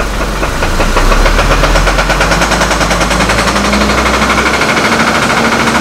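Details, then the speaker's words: Hummer H3 (Copart purchase, suspected rod bearing knock) idling around 400–500 rpm, shaking and running rough with a loose irregular knock; stumbles and dies when throttle is added. Owner suspects fuel supply problem or failing fuel pump despite fresh gas; cam/crank sensors being replaced. "and it just dies it's almost like it's got a fuel supply problem"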